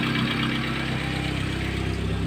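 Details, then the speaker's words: Chevrolet Optra/Lacetti/Forenza engine idling with the accessory belt removed: steady, even idle with a low hum and no loud knocking; the noise is gone, and the accessory belt tensioner pulley, having axial and radial play, is the culprit. "y bueno como pudimos escuchar ya no suena el ruido fuerte que sonaba"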